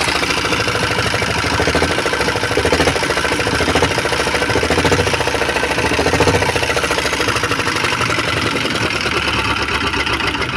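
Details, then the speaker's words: Single-cylinder diesel (R-180 or Jiandong 1125) after service with valves cleaned, earlier hard starting, smoke and hunting: steady thump about three and a half beats a second, even, not hunting; normal running. "sobat diesel Sudah beberapa kali kita hidupkan tadi ya jadi mesinnya ini sudah enak hidupnya kemudian asapnya pun juga"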